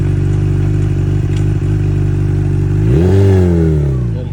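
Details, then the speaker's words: 2008 Honda CBR600RR with partial Yoshimura exhaust, 39,000 miles, revived after sitting two-plus years with fluid change, new chain and sprocket: steady even idle, then a clean rev climbing and falling smoothly, no knocks or misses; healthy engine. "one more think it sounds good [Music] [Music] yeah God it sounds so good dude healthy"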